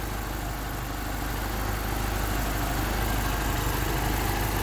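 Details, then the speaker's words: Honda D16Y8 with P28 ECU, warm idle after a cracked exhaust manifold was replaced by a DNA Motoring header and timing set to 16 degrees: smooth steady idle, revs fine, no more loud ticking or exhaust leak; normal idle. "Idle is idling fine. Revs fine. And no more loud ticking sound either."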